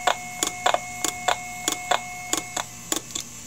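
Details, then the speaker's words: IBM "DeathStar" hard drive heard through an electromagnetic pickup coil, failing to load firmware from the reserved area after spin-up: uneven sharp clicks about 1.5 per second over hum as heads reset to the stops and retry; spindle motor dips; dead drive. "what you're hearing there is the hard drive the heads resetting see if we can find the voice coil so that's the heads moving back to the position back to the stops and then trying again"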